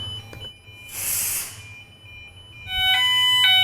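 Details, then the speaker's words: Dual optical smoke detector test after steam set off only the standard detector: hiss of test smoke, then a high piercing continuous electronic tone; the dual optical detector goes into full alarm as intended. "and now we'll introduce some test smoke and the dual optical will activate"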